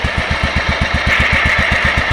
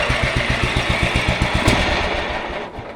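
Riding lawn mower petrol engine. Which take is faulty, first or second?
second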